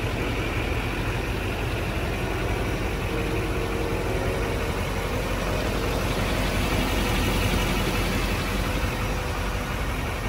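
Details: 2006 Chevrolet Silverado 2500HD 4x4, LBZ 6.6 Duramax diesel, 91,301 miles, fully serviced: start-up then even, low diesel clatter at steady idle with no knocks or misses; normal idle.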